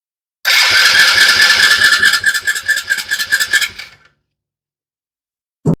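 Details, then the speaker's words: Small Chinese kids' ATV the owner says won't run and only fires briefly on starting fluid. The starter cranks in an uneven chug for about 3.5 seconds but never catches. The mechanic suspects a dirty carburetor that needs cleaning. "Probably just needs a carb cleaning."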